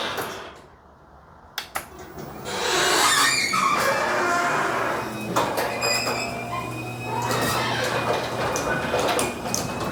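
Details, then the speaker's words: Garage door sound test before any work: door rumbles up with a loose, uneven clatter and squeaks as rollers rattle in worn hinge sockets. Sleeves and new bearings are planned, with the Green Hinge system, to quiet it. "so a lot of this is due to the wheels rattling out uh of the socket this sleeve is suppos to help with that"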